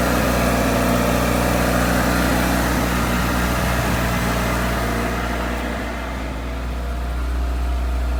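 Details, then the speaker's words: 1987 Suzuki Samurai with an '89 Geo Tracker I4 petrol engine, after a suspected blown head gasket repair and reassembly: steady idle, even low hum, no knocking or misses; running. "Well, I think we'll call this one a wrap. She's running."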